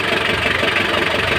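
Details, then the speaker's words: Mitsubishi L300 van engine idling steady and even after the rocker arms were replaced and the adjusters transferred. The earlier clatter, heard at the hose, is gone. "So after mapalit na nung mga rocker arm. Ayan nawala na yung lagapak niya. Wala na yung tunog."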